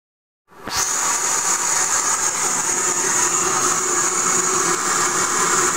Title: Mercedes G400 weird noise